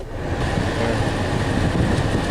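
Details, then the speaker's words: 2006 Chevrolet HHR with 333,740 miles, after cabin filter replacement: blower on high gives a strong steady rush of air with a faint constant whine, a little blower motor noise. Airflow is much improved, vent reading up from 15.1 to 18.9. Normal operation. "Wow. That made a big difference. Sounds like I got a little blower motor noise."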